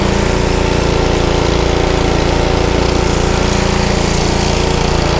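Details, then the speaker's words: Honda GC160 5 hp pressure washer engine, filter and spark plug already replaced: single-cylinder runs loud, speed hunting up and down; surging clears with a little choke; partly clogged carburetor. "now i'm going to cut in a scene from me using it so you can see what's going on you'll see it's surging i put a little choke on it clears right up but you don't really want to run it like that obviously"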